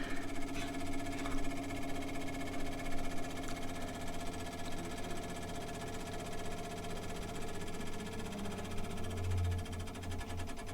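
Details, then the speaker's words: Old military vehicle with the master switch and ignition on and the engine not yet started: rapid, even clicking of the old electric fuel pump priming, which is normal. "So, let's get the mask switch on. Ignition is done here. Hear the old fuel pump clicking"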